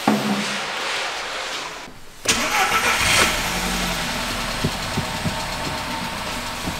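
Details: VW Golf TSI after engine damage, with fuel diluting the oil, after a fresh oil change: brief crank catches cleanly after a pause, then settles into an even idle with steady light ticking; healthy start.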